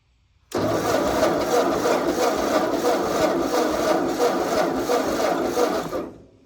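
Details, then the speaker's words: Ford 8N tractor (1950–1952): steady starter cranking about three beats a second for five seconds with no firing; cranks but won't start, choke won't stay engaged, cause unknown (spark or fuel suspected). "I do not think it should sound like this. So, yeah. It does not want to start."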